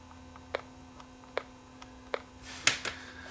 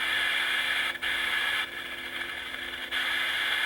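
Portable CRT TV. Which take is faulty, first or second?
first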